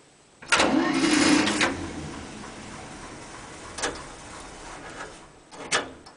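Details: 1947 International Harvester KB-1 panel truck, unrebuilt Green Diamond 214ci six, cold start on choke without fast-idle linkage or throttle cable. A loud burst of cranking settles into an uneven, slow, chuffing idle with a few revs; normal cold start.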